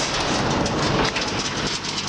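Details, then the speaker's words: Davis hammer mill and mixer combo, very little use, with the PTO re-engaged and only the feed mixer running after grinding: a steady, even churning roar with no knocks or grinding. Normal running. "you can operate this machine with everything running but with this there's no robbing of power from your power unit or tractor works it should run nice and quiet"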